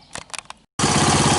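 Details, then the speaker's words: 1983 Honda ATC200X after freeing a seized clutch and cleaning a flooding carburetor (idle needle one turn out); starts on third kick, then a steady, evenly paced single-cylinder idle with no stumbling, healthy. "so it started up the third kick which is good the idling away"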